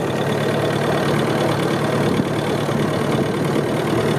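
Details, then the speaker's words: Cub tractor with newly fitted brakes, using differential brakes at slow speed in a high gear: heavy engine drone lugging down at low revs; fine in second gear, not in third; engine lugging under load. "you can get away with it in second gear don't do it in third gear though on this thing um but you can hear how it looks the engine down trying to differential brake at slow speed"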